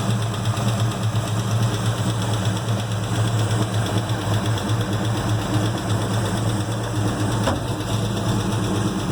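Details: Freshly built 1970 Chevelle SS 396 big-block, first running after dyno run-in, idling: light, quick lifter-like tick on the low rumble; valve cover removal found a rocker arm that had worked loose.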